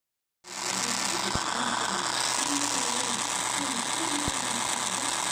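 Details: iPhone SE speaker: a fast, dry, thin ratcheting buzz at about four clicks a second with no low end. It happens intermittently, usually in the Facebook app. The cause is suspected, not confirmed.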